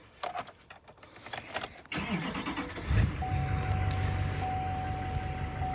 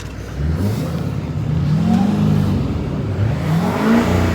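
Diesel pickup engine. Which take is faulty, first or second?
first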